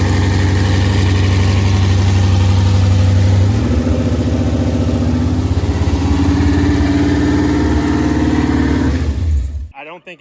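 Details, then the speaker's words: C5 Corvette with swapped-in built 6.0 V8, first start in four years: lumpy, uneven hunting idle, a rev blip, then it cuts out; suspected because the tune is for LS1 parts and needs throttle body tuning, with only one O2 sensor connected. "the uh the throttle body i think it's going to have to get tuned for it everything is tuned for uh this tune for the ls1 stuff so that makes sense"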